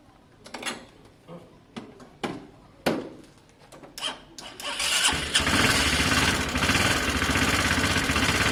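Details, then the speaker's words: Honda CB250 bobber after electrics and carb work: a few cranking clatters, then runs loud and ragged with a tapping rhythm; engine knock suspected, oil to be checked. "it sounds terrible guys um it starts though so the problem is found it sounds like it's got knocking in the engine"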